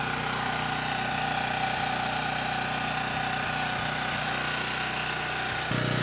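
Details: Ridgid 5700 W generator (RD905712), Yamaha MZ300 engine, 1500 hours, rescued from the dump, warming up on a cold day before load: started first pull, steady even single-cylinder drone, no misses, knocks or hunting; runs smoothly.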